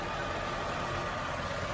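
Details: 2005 Pontiac Grand Am 3400 V6, new battery, rebuilt transmission, new struts: steady, even idle with a smooth low hum and no knocks or misses; healthy normal idle.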